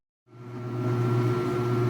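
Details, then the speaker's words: Speed Queen AWN432SP top-load washer on delicate cycle: spins up smoothly into low, even hum without thumping or rattling, likely reduced-speed spin; quiet and very well balanced, normal. "it has gone into a spin cycle and I don't know if that's the normal I think that must be that's probably a reduced speed spin cycle I'm assuming but it's kind of hard to tell because this washing machine is pretty quiet and it's extraordinarily well balanced"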